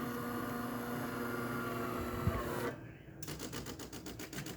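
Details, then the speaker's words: DeLonghi Magnifica (older style) after service, with flow meter, generator and water pump previously replaced; the pump sounded hollow before priming through the steam wand. Steady hum gives way to an even pulsing buzz about four times a second as the pump runs during a rinse cycle; normal vibratory pump operation. "Now it's going to activate the pump because it's going to do a rinse cycle. Well, actually, it didn't do a rinse cycle. I'll just do a rinse cycle."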